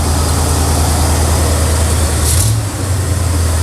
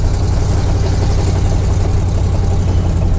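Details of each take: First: Square-body truck with Oldsmobile 350 Rocket V8, slowly warming up, idle not yet tuned, choke missing its stovepipe, exhaust broken near the headers: deep steady rumble at an even fast idle, no knock or miss; normal fast idle. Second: Square-body truck with Oldsmobile 350 Rocket V8: loud, raspy low rumble with ragged chuffing following engine speed; exhaust pipe broken off, two exhaust leaks down by the headers.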